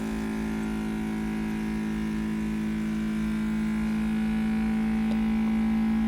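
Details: Mini 3D vacuum heat press vacuum pump evacuating a triangular bottle mold via the air hose: smooth, steady low hum that never wavers in pitch or level; running normally.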